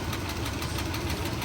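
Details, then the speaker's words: Auction V8 truck at idle, exhaust manifolds splitting: fast, regular light ticking over an uneven, shaking idle. Suspected top-end lifter tap over a manifold leak, unconfirmed; the truck is rejected. "But that to me sounds like it's coming from the engine. That to me sounds like lift or tap coming from the top end of the engine, and that's gonna be a no-go for me, guys."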